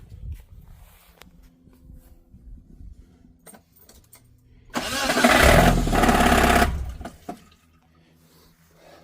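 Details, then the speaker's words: Geo Tracker small petrol engine cranking and catching with loud rough clatter then shutting off after ticking and banging on a trail; suspected bottom-end damage, not confirmed. "Still makes a lot of noise. Definitely something at the bottom end."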